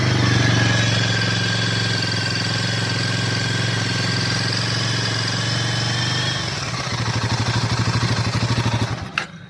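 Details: Royal Enfield Himalayan 450, held at about 3000 rpm as a reference beside a same-batch bike with a ticking noise: pulls up smoothly, clean steady note, settles to an even idle with no ticking or knock.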